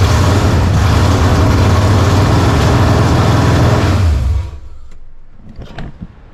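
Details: 1987 Saleen Mustang 347 V8 after zero-balancing with neutral flywheel, no transmission or clutch, sitting only on motor mounts: fires and settles into steady even lope, then shuts off; some shake expected, but much better than before.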